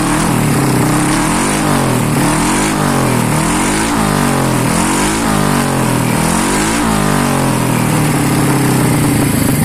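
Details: Honda Beat ESP 2020 fuel-injected scooter with a custom downdraft throttle body conversion using a CBR150R manifold and injector. It is blipped several times, and each rise and fall is clean and even, running smoothly throughout.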